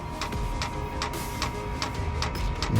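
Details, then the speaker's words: Chinese diesel heater installed in a 2018 Ford Transit diesel van, tapped into the factory tank auxiliary line: sharp light ticks about twice a second over faint hum as the dosing pump primes, drawing diesel up the line. "hear that ticket that's the pump underneath trying to pull yeah you can hear the pump ticking trying to pull diesel through and there we can see the diesel coming through the line right now"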